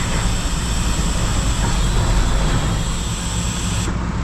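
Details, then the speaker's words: 1974 Mack R Model diesel, first start after replacing a bent pushrod, valve covers off: loud, deep clatter that never settles into an even beat; running rough, owner notes fuel not fully there yet. "wasn't good that didn't sound right but we got to remember not all the fuel's there yet"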